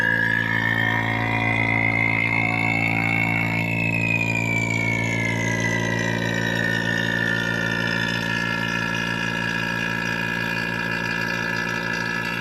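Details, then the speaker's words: Vacuum pump evacuating the refrigerant lines of a Pioneer Diamante 9k mini-split through the compressor unit's gauge, pulling toward -30: even pump drone with a faint whistle drifting in pitch as lines pull down; normal. "now we're going to turn this on and let it go for I believe they want you to do it for 15 minutes"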